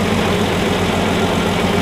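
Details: 1965 Plymouth Valiant 170 slant six, stalling after 3-5 minutes from carb boiling, fixed with junkyard exhaust manifold with heat riser and new intake manifold: steady even idle, no stumble, surge or dying; loose worn throttle shaft vacuum leak noted.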